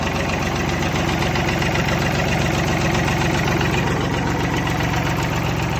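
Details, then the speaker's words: Old Belarus 525 4x4 tractor diesel, first start in years on a temporary fuel supply with injectors bled, a fresh battery and a jump box; settles into a steady, even idle clatter with no misses or hunting. Normal idle. "sometimes these old diesel surprised you how good they all run"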